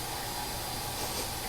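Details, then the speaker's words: Fuel pump on an LS V8 swapped Honda Accord, powered directly before first start through a filter regulator: steady thin whine over a soft rush of fuel, circulating normally in a closed return loop. "the fuel pump so I just want to check for leaks and we want to make sure we hear the pump come on"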